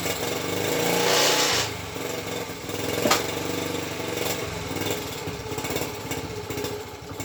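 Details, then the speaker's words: Honda ST50 under rebuild, started on kickstart with choke: loose stumbling beat, about three pulses a second, never settling; owner unconvinced, plans to source another coil; cause suspected, not confirmed; uneven running. "yeah I'm still not convinced of that car at least he's running that's something"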